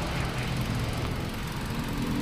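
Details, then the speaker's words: Hyundai Accent gasoline engine at idle after fixing a wiring fault that caused no firing on cylinder 4, not an ECU fault: low, even idle with a steady beat and no stumbles, all cylinders now firing equally strong. "kung nakita niyo tumining na siya ano tapos ah ting natin yung firing Ayan oh malakas na siya pantay na siya sa ping dito yan tapos halos lahat ng firing yan ay pare-parehas na kalakas"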